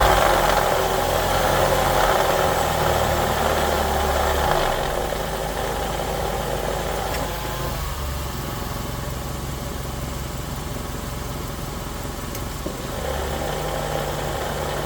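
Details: Nissan CVT transmission: low rough growl under the running car, swelling and easing, brief rising whine near the end; suspected CVT growl, not confirmed.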